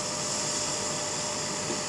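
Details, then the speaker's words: Hazer Unique 2 after repair of failed air pump (error E-8) and poorly flowing vaporizer, mixer resealed with nylon tape, running at full output (99); steady high-pitched rushing hiss, no pulsing or sputter; normal running at full output. "fučí to na plnej výkon už zase nevidím takže to stáhnu e dolů"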